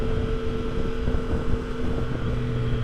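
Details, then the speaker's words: 2022 Triumph Tiger Sport 660 after its 600-mile service, riding at about 37–38 mph: loud steady whine over road and wind noise with vibration through pegs and bars; owner believes the drive chain is over-tightened. "When I hit about maybe 37, 38 miles per hour, I start getting a really loud whining sound followed by vibrations through the foot pegs and the handlebars. The problem that I'm experiencing today is with the chain, and I believe it is over tightened."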